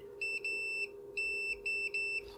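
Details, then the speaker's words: Meter gives clean steady high beeps in on-off bursts, showing continuity on a voice recorder module's flash chip pin after the clock pin, found open from a suspected dodgy solder joint, was reflowed with the soldering iron. "you should be able to hear that beeping"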